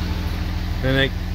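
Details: 2007 Dodge with 6.7L Cummins diesel, microphone held close to the engine: at idle, a short rising squeal of about a quarter second each time the exhaust brake engages, louder when the engine is warmer.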